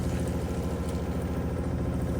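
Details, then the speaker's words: RV water pump heard inside RV before silencing fixes (accumulator tank, silencing hose kit); loud fast buzzing drone with rough rattly pulse, pump vibration carried through rigid water lines. "Moment of truth, let's see how all these things put together sound inside the RV. The before and after is a big difference. This is what it sounded like before,"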